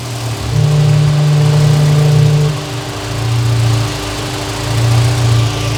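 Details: Honda Civic: after a throttle blip the idle settles with a low wavering hum that swells and fades, a foghorn-like whooping wail; cause unknown, owner suspects PCV valve.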